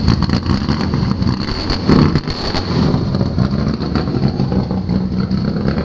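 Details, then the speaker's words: Chevrolet Biscayne six-cylinder with exhaust exiting in front of the rear tire: deep, raspy, uneven rumble at low revs, very loud and rough-edged, barely silenced; loud exhaust note. "good god that thing sounds loud and nasty guys i'm not gonna lie this is the loudest most obnoxious sounding six cylinder i've ever heard in my life"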